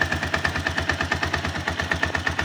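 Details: 162FMG-G engine: sharp metallic knocks about eight per second locked to the engine beat over a rough idle, quieter when tilted to one side; loud internal knock, source unknown.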